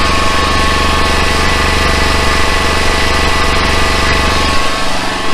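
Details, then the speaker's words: Flatbed truck-mounted generator, engine running about 2,800 rpm with generator head at about 3,650 rpm before replacement: heavy steady drone with a faint high whine and squeal; whine started about a month ago, caused by the worn generator head. "all right we got the generator run it maybe you can hear the whine of the generator so that started about I'll prob about a month ago it's a it's the generator head"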